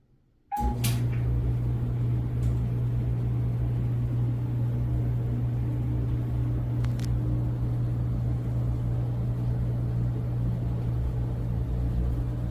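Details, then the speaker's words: Whirlpool dryer circa 2018, previously squeaking, after replacing belt, pulley/tensioner parts and reassembling: smooth steady low hum with no squeak, scrape or thump; running quietly and normally. "It's very quiet and smooth. Very quiet. Very smooth."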